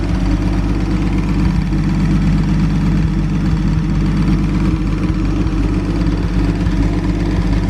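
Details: 1937 Talbot 3 Litre straight-six, recommissioned after decades unused, on a brief run while things get used to running again. Smooth, regular low-pitched idle, even unchanging pulses, no knocks; healthy tick-over.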